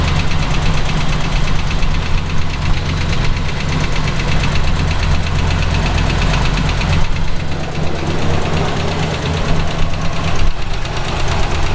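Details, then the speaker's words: V8 in a Route 66 Buick developed a noise while driving home: a steady, regular knock over the idle rumble that increases with RPM, not exhaust or a lifter, seemingly from down low; owner suspects rod knock, unconfirmed. "it's not exhaust I thought naively for a minute it might have been a lifter it's not sounds sounds like it's coming from down low which of course means rod knock"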